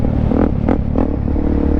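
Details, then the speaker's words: 2009 Suzuki DRZ400SM supermoto, around 35–40K miles, first ride back after sitting: steady single-cylinder thump under way with some wind, even firing, no rattles or knocks; normal running engine. "She's sounding dialed."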